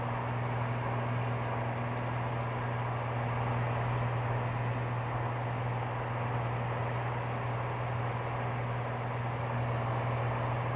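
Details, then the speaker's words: Cirrus SR22 in cruise after level-off at 65% power, mixture being leaned: steady deep propeller drone with a loose, uneven pulse; runs rough since annual, #2 cylinder EGT/CHT erratic, lean from missing #2 fuel injector gasket. "all right oh and now we're gonna lean that mixture down i don't like that something not quite 100"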